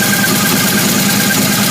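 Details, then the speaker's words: 1978 Camaro idling with smoke from the left side: a light, quick ticking over the engine note from a bad lifter on a worn camshaft, left side of the motor damaged. "So the left side of the motor is damaged. You can hear the ticking."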